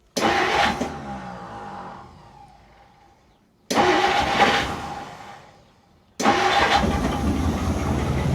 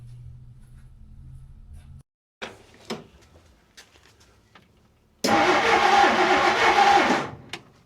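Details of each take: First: 1959 Plymouth Fury, sitting 38 years, run on about 8 seconds of poured fuel without throttle; three short bursts that catch cleanly then fade as fuel runs out, no valve train ticking, smoking heavily; it runs. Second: Long-stored 1959 Plymouth Fury, sitting 38 years, with points ignition; about two seconds of steady cranking that never catches while an inline tester confirms spark and some compression; turns over fine but getting no fuel.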